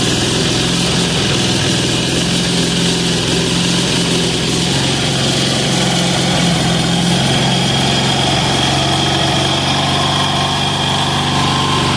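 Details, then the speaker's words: Amazon 186FA single-cylinder diesel, started on diesel and switched to filtered used synthetic motor oil: steady, even chug at constant speed with no hunting or stumbling; smooth healthy idle. "so I'll start it I'll get it warmed up see how it's not smoking now it's not smoking because it's hot and it's running motoroil"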